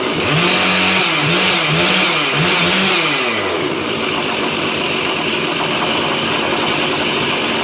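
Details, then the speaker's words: Stihl 046 Magnum chainsaw after a rebuild for failed crankshaft bearings, carburetor untouched: sharp two-stroke revs rising and falling, then a steady high run with a slight hunt; runs healthy after the rebuild. "I cranked it up you seem to pop pretty good sounds all right"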